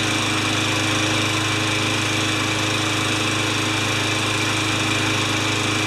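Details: Craftsman 20-inch side-discharge mower with a new air filter and clean gas, on a test run to see if it stays running five minutes before an oil change. A steady, even high-pitched buzz with no surging or dying out; runs normally.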